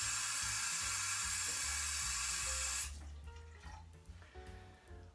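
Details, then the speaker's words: Kingston Brass Heritage bathroom faucet, polished nickel: a loud hissing rush of water for about three seconds with little pressure. Flow was strong before the supplied aerator was fitted, so the owner suspects the aerator causes the whistling and low pressure. "the faucet does swivel when you turn the water on however it it doesn't have much pressure check this out and that's all we get and it's a little bit loud too"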